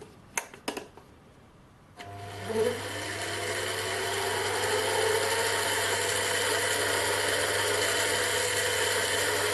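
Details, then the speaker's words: 7x12 mini lathe running: steady motor hum with a light even gear whine and no knocks; most of the noise is from the headstock gears, and the change gears are quiet. Normal. "I think most of that noise is coming from the gears in the headstock. I don't think it's coming from the change gears. They seem pretty quiet."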